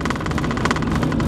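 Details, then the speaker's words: 2000 Chevy Blazer after repair of a P0300 misfire, road test of about four miles at speed; steady engine drone with rhythmic tire thrum from chopped tires, no popping or misfire; engine runs clean. "with all the other noises that this truck makes I don't know how you can hear any kind of a popping noise from the engine"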